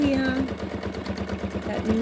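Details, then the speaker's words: Free-motion quilting on a sewing machine (Superior needles, Wonderfil thread) at the right speed: a fast, even needle beat of about a dozen strokes a second with a calming hum. Needle good, normal smooth running. "humming beat that my machine has that's the noise you want to listen for it's a really calming noise you know your machine is in the right position speed wise"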